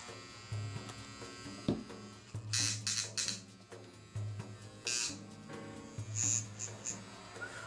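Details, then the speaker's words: Modified Andis Outliner trimmer after armature and tension fork adjustment with sharpened blade: short bursts of steady even low buzz, clean starts and stops, no rattle; quiet and powerful, oil recommended. "So if you can tell, it's quiet and it has quite a bit of power. Shoot. Oil. Oil is your best friend."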